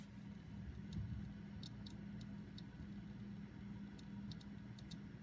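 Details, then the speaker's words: Hard drive plugged back into a PC after degaussing: sharp, uneven clicks about twice a second over computer hum as damaged heads fail to find data at BIOS boot, heading for disk boot failure. "can kind of hear the clicking going on in the drive because the heads are damaged and so the BIOS here on the PC is trying to find a hard drive and it's not going to be successful"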